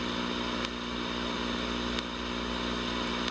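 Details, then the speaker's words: Sears Silvertone Twin Twelve 1484 tube amp under restoration: sharp, irregular ticks and pops over steady hiss and low hum, also visible on the CRT, from the coupling capacitor area after the 6FQ7 phase inverter; owner suspects a faulty resistor; intermittent signal-path popping. "You can hear a little tick every now and again. You can see it on the CRT, like the tick, tick."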